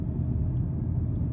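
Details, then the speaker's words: 2008 BMW M5 E60 V10 with the exhaust out: loud, deep, booming drone holding steady with nothing taming it; loud exhaust drone from muffler and resonator delete. "I don't like the exhaust out, but it makes a lot of noise. Definitely going to be a noise complaint for my neighbors."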